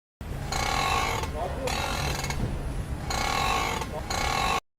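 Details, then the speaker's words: Car with bursts of harsh creaking grind each time the steering wheel is turned, attributed to a worn strut top thrust bearing. "প্রথমত steering wheel ঘুরানোর সময় শব্দ করে।"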